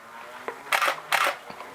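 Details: Canon 6D Mark I after DIY front control dial repair: two crisp, clean shutter clacks about half a second apart, no drag; shutter fires properly.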